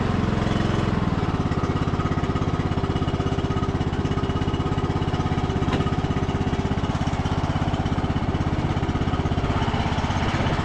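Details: Revived MTD Bolens riding mower, not run for a few days, started on choke with little fuel: steady, even low putter with a quick regular beat holding speed, no misses or knocks; small engine running healthy.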